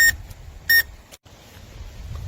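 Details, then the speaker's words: DEERC full proportional 2.4GHz RC boat, 20+ mph: motor cuts out, then two sharp beeps about 0.7 seconds apart like a low-battery warning, though the owner had tested the cells as not low; cause unclear. "That's weird because it kind of shut down and started beeping like a low battery kind of warning."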